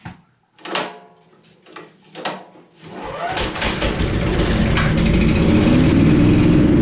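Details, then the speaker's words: Honda-engined blower after carburetor cleaning, previously not running: a few pull-start tugs, then engine catches and settles into a steady, even run with no stumbling; healthy. "You hear that sound, then you know you got your carburetor cleaned out."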